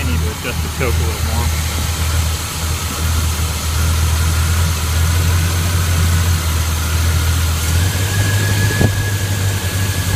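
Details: 1981 K10 V8 with a Quadrajet carburetor, after fitting a Mr Gasket heat dissipator and a new throttle cable: low, even burble held steady while warming up, no ticking, knocking or stumbling. Normal idle.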